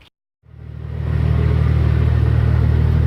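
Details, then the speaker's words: Ford ED Falcon turbo after fitting the new manifold and heat-wrapped up/dump pipe that cured the cylinder 6 exhaust leak: a steady, deep, even exhaust drone with no ticking or puffing, sounding sealed and healthy. "oh that is so much better it sounds like a real car"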